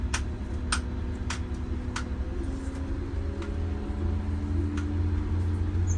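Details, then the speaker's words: MCI 9 coach on a test drive after replacing very bad wheel bearings, king pins and air bags: low engine drone with no wheel growl or rumble, and the engine is now audible over the wheels. The wheel bearings are normal. "yeah I can hear the engine today and the other day I couldn't hear the engine because of the wheel bearing noise"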